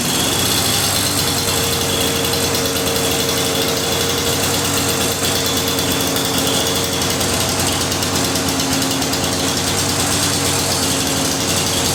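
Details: Lawn-Boy DuraForce two-stroke mower after reinstalling a rebuilt carburetor: steady, even buzzing note with no stumbles or surging; engine running cleanly.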